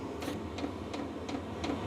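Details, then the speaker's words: New VEVOR diesel heater in a cold workshop after restart following error 10: steady fan rush under crisp, even pump ticks about three per second, outlet reaching 20 degrees and warming; heater lit and running normally. "So there's obviously some heat coming out of it now. It's quite noisy. Yeah, can actually feel it warming up a little bit."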